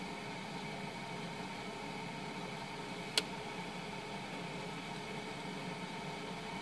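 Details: 2007 household refrigerator, after its defrost timer was replaced with a SUPCO solid-state timer: quiet steady hum, soft fan hiss and a single click as the compressor runs normally in the cold cycle.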